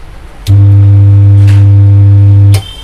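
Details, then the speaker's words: Ahuja SSC 250 W amplifier (new model) switched on: loud steady low hum, then the MCB trips after about two seconds; amplifier is shorted. "दोस्तों यहाँ पे आप देख सकते हैं यहाँ पे जो है एक हैमिंग की आवाज़ आई, उसके बाद जो है रीसेट MCB जो है यहाँ पे बाहर फेंक दिया है।"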